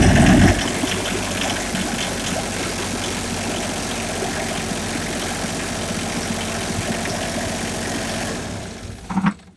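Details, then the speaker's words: Generator in a 2019 Anthem 44F RV: start button preheats first, then a short crank, and it settles into a steady, even idle with a smooth low drone and no knocks; healthy. "Start is also preheat. So when I press the start button, it goes to preheat first. It will not crank until it's up to temp."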